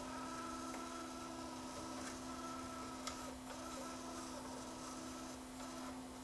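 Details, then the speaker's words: JVC KD-V300 cassette deck during tape playback test, reverse direction: a thin, steady squeak at one pitch over quiet transport hiss. The repairer first suspects a slip clutch or bearing, but the squeak comes from the cassette itself. "I'm hearing a bit of noise coming from I think it's that one"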